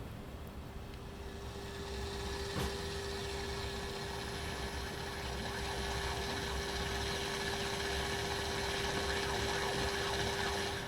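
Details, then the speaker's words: Pioneer SX-450 receiver during AM tuner alignment: with the signal generator switched off, a steady mid-pitched whine over faint hiss with fast pulsing; it is the receiver's pulsating power-indicator circuit interfering with AM reception. "you hear that in the background it does that that sound is actually the circuit that makes this power on indicator pulsate when the signal generator is turned off it actually interferes with AM radio"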